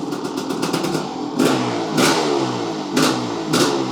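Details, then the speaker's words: Rebuilt Kawasaki KX500 two-stroke with assembly lube and premix, first run after rebuild. Crisp blips rising and falling about every half second, clean with no rattle; the float bowl later ran lean and it was shut off. Normal revving. "so she runs good sounds good smells amazing"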